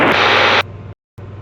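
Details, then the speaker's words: Cozy MKIV aircraft climbing to 12,000 ft: harsh loud hiss burst dropping to low crackle as the second comm radio couples with the first through comm antennas in each vertical stabilizer, breaking squelch and self-transmitting noise. "that noise is because I had my second comm up, and some frequencies couple. So I've got one comm antenna in each vertical stabilizer, and if one frequency resonates with whatever frequency you've got in the other radio, it breaks that squelch, and you end up transmitting yourself and getting all that noise."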